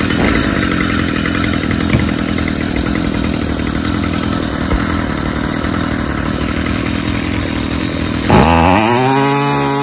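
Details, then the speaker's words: Stihl FS 55 two-stroke trimmer after removing the oil-soaked, clogged air filter: a steady buzz that rises sharply and cleanly on throttle, though it still smokes heavily from an oil-rich fuel mix. "oh wood look at that throttle response after i took that oil soaked air filter out"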